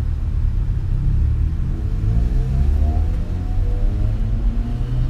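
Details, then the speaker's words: Car back from the shop after a new adjustable fuel pressure regulator and O2 sensor were installed; idles smoothly around 800 rpm: deep even rumble climbing smoothly under acceleration, no exhaust ticking or hesitation; previous slight exhaust leak no longer heard. "boy no hesitation at all when you get pushed down on the thr"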